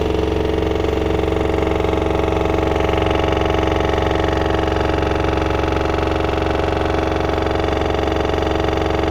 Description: Bought this November 2021 sounds like a jack hammer on 1400 spin, its level, dose not jump around , nothing external is touching it and the drum has no play in bearing.